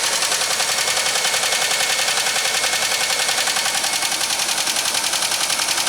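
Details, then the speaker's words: 2003 Grand Am GT engine on a cold start with an overfilled crankcase of diluted oil contaminated by antifreeze and possibly water, before an oil change: quick, sharp, even ticking about three per second; owner suspects a noisy lifter. "What I believe is a noisy lifter could be, caused by this."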